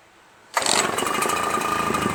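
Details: RedMax EBZ8050 two-stroke backpack leaf blower restarted after new piston rings for a no-compression issue: quick catch, then steady, high, even buzz with no misfire or hunting; normal start and run.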